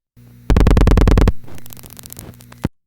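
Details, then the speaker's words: Panel telephone switch, final selector units selection after dialing 8: sequence switch moves, revertive pulses counted, nine pulses to eighth units terminal; fast burst of sharp loud clicks, thud, quieter clicks; normal stepping. "The sequence switch moves, and we count nine pulses to get to the eighth units terminal."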